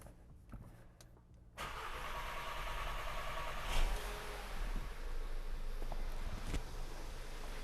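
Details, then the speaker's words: 2015 Audi A3 2.0T (MQB), first start after installing an Autotech upgraded high-pressure fuel pump, fuel pump primed by key cycling: long starter churning with uneven ticks before catching to idle; extended cranking from air still in the fuel line. "as you saw took an excessive amount of cranking there was still air in the line"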